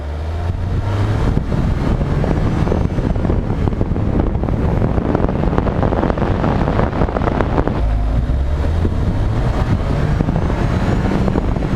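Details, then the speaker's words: Ford Fiesta ST with stock airbox and stock filter, driven and shifted at redline: the engine pulls up through the revs and drops at each shift with no bypass or blow-off noise, masked by wind noise. Normal turbo intake sound. "so on the fiesta with the stock box a little bit of sound is okay at low speed once you're moving the wind noise makes it harder to hear the sound that's why it's easier to hear at a slower speed"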